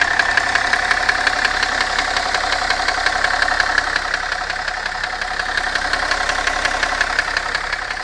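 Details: BMW M57 diesel at idle, heard more clearly when hot: steady idle with a sharp, even tapping about three times a second riding over it; knock from inside the engine, cause unknown.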